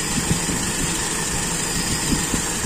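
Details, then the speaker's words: Toyota Kijang with Aisan carburettor after disassembly, idle mixture check: steady, even idle with no hunting or stumbling; mixture judged normal, neither too rich nor too lean. "kayaknya ini campuran sudah menurut saya Oke normal tidak terlalu kaya tidak terlalu miskin sedang-sedang saja"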